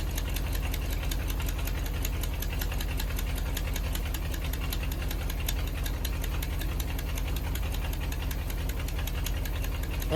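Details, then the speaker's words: 1977 International hay-hauler truck, coolant or oil leaking, suspected blown head gasket: fires up instantly; sharp fast puffing tick in time with the idle over a low rumble, air felt blowing from the engine; exhaust leak, worst on the other side. "fired right up instantly heard the terrible exhaust leak from there hear it but the worst is on the other side"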